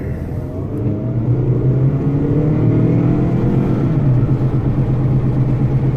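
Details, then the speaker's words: 2011 Toyota RAV4 on a road test at about 15 mph: a low growl with a slight thump that grows with speed, louder when steering left and quieter steering right; right front wheel bearing suspected. "A little louder as I steer to the left, load it up. Kind of a growl, but also kind of a thump."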